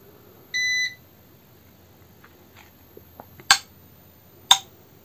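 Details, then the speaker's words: Trannergy SGN4000TL solar inverter with the grid line connected and solar panels being connected: short beep, then sharp separate relay clicks as it connects to the grid, followed by normal status; normal relay clicking. "another realize clicking and then it shows normal status"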